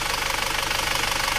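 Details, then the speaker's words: Isuzu Panther automatic diesel back at the shop after repair and a 66 km test drive: even, rapid clatter at idle with a steady beat and no misses. It previously stalled at low rpm and in reverse; smoke now reduced. "Dipakai stasioner turun reda asapnya aman kota"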